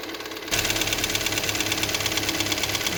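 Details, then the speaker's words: Ticking at idle from the top end of a 1.4 TSI (CHPA) engine, fast light ticks about three per second, waxing and waning; appeared suddenly, oil level normal, driven 800 km like this, cam cover checked dry with phasers tight; hydraulic lifters suspected, unconfirmed. "Буду пробовать заводить, не знаю. Сразу слышно, как идет стук."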